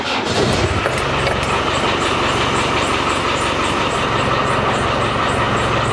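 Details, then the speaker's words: Land Rover Defender 110 after front crankshaft oil seal repair, temporary power steering pump topped up: steady idle with even clatter; pump noise, caused by low fluid, and funny clicking both gone. "so there you go that's uh shut the power steering pump up it was just low on fluid that funny clicking noise has now gone away as well"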